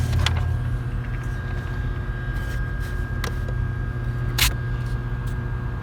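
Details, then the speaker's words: 2007-or-later Chevy 5.3L V8 truck after fixing a failed DoD lifter on cylinder 4 that caused misfire and knocking, with oil changed: smooth steady idle with no ticking or knocking and no check engine lights. "the truck ran great the process I showed you work perfect there the truck has tons of power it runs perfect there's no knocking no check engine lights everything turned out great"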